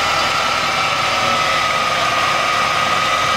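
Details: Subaru Brumby with newly installed Weber DGV carburettor conversion, idle mixture set for highest idle then speed adjusted to 800 rpm: steady even hiss and hum with no stumbling or hunting; normal idle.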